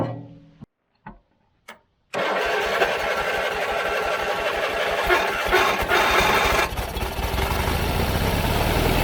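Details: John Deere 317 riding mower that quit while mowing: weak cranking bursts, then it catches and runs roughly and unevenly, stumbling from fuel starvation because the carburetor is plugged. Engine stalling from fuel starvation, plugged carburetor.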